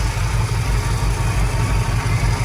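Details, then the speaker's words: 1979 Ford Super Cab 4x4, 460 V8 with 4-barrel carb and dual exhaust, started cold at about 32°F: deep, even rumble with steady beat, no ticks, misses or knocks; owner says it purrs like a kitten; healthy idle. "But just listen to this motor. I mean, it just purrs like a kitten."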